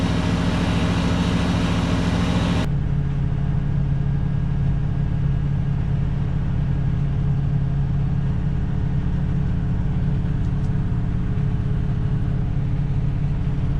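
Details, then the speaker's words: 1967 Ford Galaxie 500 289 V8 at first start and break-in, after a small water leak and power-steering fluid smoke off the exhaust manifold; deep, even V8 rumble with a steady beat, no misses, knocks or hunting, runs real smooth; normal idle. "So as you can hear, it runs real smooth."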